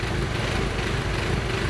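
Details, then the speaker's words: 2012 MK6 VW Golf R after engine install: an uneven, lumpy idle with a wandering beat over fan hiss. A part with a chunk missing is thought to be sucking in air, and there is a fuel pressure regulator 2 control circuit open signal; a part or the MAF may be unplugged. "It's got a big old chunk missing, so I think it's sucking in too much air. And it also says the fuel pressure regulator 2 control circuit, there's an open signal, so I might have left something unplugged on the bottom, and just mass flow meter, which is at the top."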